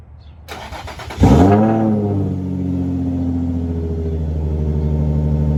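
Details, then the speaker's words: Infiniti G35 after starter replacement fixed a no-start: starter spins briefly, engine catches at once, flares, then settles to steady even idle; normal start, much better than before. "uh so yeah I love the way it starts it's beautiful it's way better than before"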